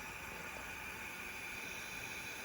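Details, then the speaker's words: Steady quiet hiss of air leaking past the valves during a leak-down test on an ATC70 engine after valves were wire-wheel cleaned; now 30 psi in, about 26 on engine side versus 20 before, so improved but still leaking; compression previously 75 psi. "so i hear it leaking still let's see if the sound is loud okay so there's 30 going in and about 26 the engine side so it helps"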